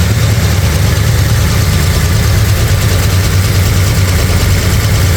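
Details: Brand-new 445 stroker FE V8 in a 1962 Ford Galaxie on its first break-in run. Steady, lumpy idle with a light, fast ticking over the rumble: a lifter or two clattering and needing adjustment. Timing also needs adjusting; oil pressure and water temperature are good.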